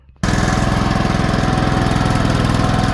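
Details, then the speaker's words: Cast-iron Kohler K-series single after the knock fix, points gap closed from 0.020 to 0.012 in to retard ignition (suspected pre-ignition), warmed up: steady even thump about three and a half beats a second, no sharp knock; normal running. "It's fixed. It's not knocking anymore."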